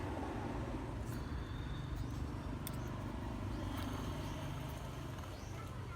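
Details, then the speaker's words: 2012 Toyota Vitz AC compressor with new pulley bearing, pulley was rubbing; after adding a 0.25 mm shim to reposition the magnetic clutch plate: steady even hum without chatter or rattle, noise greatly reduced. "So, there you go. That noise has dramatically reduced."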